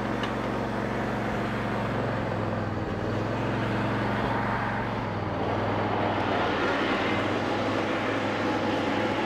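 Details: Free riding lawn mower that would not start, after valve adjustment and cleaned terminals: even, steady engine drone with smooth rumble and no knocks or misses; normal running after repair.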